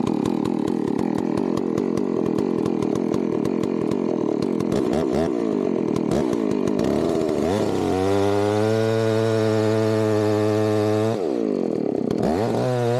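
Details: Chainsaw fired up cold before felling a tree: the two-stroke starts rough, then revs to a clean, high, steady scream and settles back evenly. Healthy saw, normal running.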